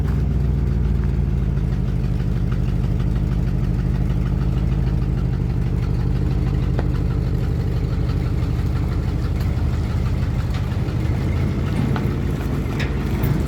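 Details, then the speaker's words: 1972 Ford F250 truck, carburetor barely getting gas: low uneven loping, stumbling idle with no steady beat, as if starving for fuel; owner suspects a clog keeping it from pumping enough gas, unconfirmed. "But for whatever reason, it's not pumping enough gas. There's a clog or something."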